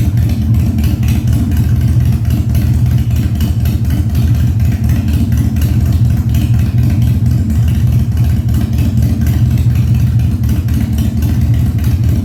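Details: 1997 Harley-Davidson Fat Boy after carb cleaning, new spark plugs and new battery, no air cleaner fitted; cold start on choke at 70°F, humid. Deep, even V-twin thump holding steady, no popping, backfires or stumbling; runs normally.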